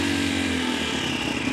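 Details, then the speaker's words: 2022 CSC TT250 carbureted single-cylinder enduro, cold start on full choke with a little throttle: fires and buzzes fast and even while throttle holds revs up, choke being backed off, no knocks or stumbles; normal cold start on choke. "hit the starter and give it a little throttle then I can back off the chokes up get it running keep my RPMs up with the hand i'm nursing the throttle and back off the choke"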